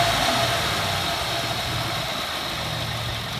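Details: 2014 Ford F-150 4x4, hood open, revved in place: thin scraping nails-on-chalkboard squeal over engine, worse as revs climb; once only when cold, gone after 5 minutes, now constant; undiagnosed, dealer visit pending; grinding squeal under acceleration.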